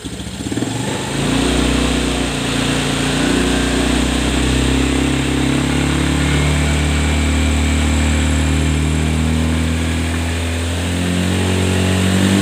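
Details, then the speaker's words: Honda Scoopy eSP (2017–2018 on) that previously stuttered and topped out at 60 km/h. After a throttle body service, sensor repositioning and FI reset, it revs smoothly to full throttle without stutter and now reaches 100 km/h. "Oke, sudah selesai, Guys. Sudah selesai, ya. Larinya sekarang bisa tembus sampai 100, ya. Bisa tembus sampai lari 100."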